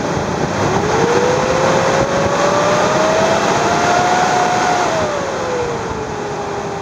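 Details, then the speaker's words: 2001 Mazda B3000 pickup, worn fan clutch keeps the fan at engine rpm instead of spinning freely: loud steady fan roar whose pitch follows engine speed; fan clutch stuck engaged, to be replaced. "fan should spin freely but it doesn't so that's how you know you have a problem"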